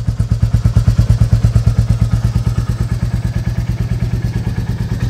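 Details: Royal Enfield Reborn Classic 350 (J1 engine) at cold idle, about 1050–1089 rpm by OBD: even, steady thumping with a regular beat and no knocks or rattles; the single is idling normally.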